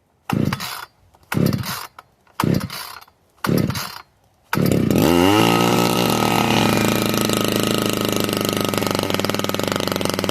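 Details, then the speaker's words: Modified Husqvarna 455 chainsaw with new homemade pipe/muffler can: four pull-start bursts, then catches and revs to a crisp, high, even scream without stutter; normal strong running, compression building. "Listen to this new pipe. Compression's starting to build in this thing. Dog wicked."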